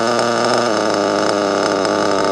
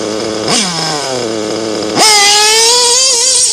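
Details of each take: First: Nitro RC car engine buzzing at high pitch, then the note drops and sags when the brake is touched; the brake linkage is set too close, dragging and loading the engine down. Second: Nitro RC engine tuned rich: high-pitched buzz revving cleanly with a light splutter on the blips, the expected rich-running splutter at idle; normal rich nitro tune.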